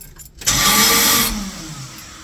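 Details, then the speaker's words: Car won't start: about a second of harsh, high metallic grinding as the key turns, then a fading whir as the starter fails to engage the flywheel ring gear; owner hopes the starter gear is stripped rather than the flywheel ring, inspection cover removed. "And here's what a bad starter sounds like."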